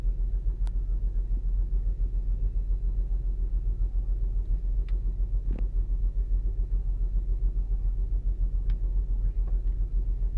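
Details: 2008 Saturn Outlook cold idle with low rumble stumbling three to four times a second; cold-start misfire, owner suspects commanded air/fuel ratio dips in open loop (computer glitch), not confirmed.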